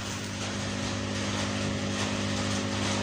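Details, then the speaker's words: DIY amplifier with tone control gives a steady low mains buzz with hiss, easing when the laptop is touched and disappearing when the laptop charger is unplugged: a ground loop through the charger. "muncul dengung lagi kan. Sekarang saya pegang dengungnya berkurang. Nah, kalau misalnya ini saya cabut casnya saya cabut langsung hilang dengungnya."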